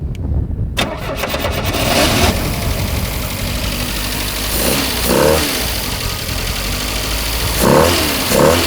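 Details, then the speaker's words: 1975 Pontiac Astre, first start after sitting 20 years in a field, fed by a transfer pump; short crank, catches and settles into idle, throttle blips pick up cleanly; normal start and idle. "I can't believe it's running and idling that's wild"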